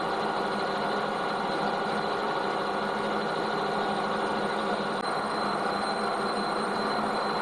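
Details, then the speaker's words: Lathe spun up to test-machine chromed shock absorber rod steel: steady even spinning hum with a faint constant high whine, no knocks or rumble; lathe runs smoothly. "right okay that's fair enough that machine's all right"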